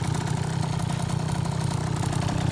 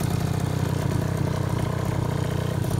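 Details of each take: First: 2004 KTM 50cc Mini Adventure two-stroke just rebuilt with a new piston ring, gaskets and cleaned carburetor, not yet broken in: fast, steady buzz with no drop-off because the idle adjustment screw is backed out too far; high idle. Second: 2004 KTM 50cc Mini Adventure two-stroke after piston ring replacement, new gaskets, carburetor clean, with upgraded polished exhaust: steady, even buzzing idle with no misfires or rattles; normal idle.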